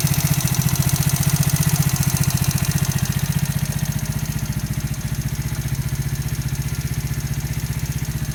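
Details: New engine at 200 km, valves adjusted to 0.05–0.07: steady idle with a sharp, regular knock nearly four a second, in time with the engine; internal engine knock of unknown origin, owner asking for advice.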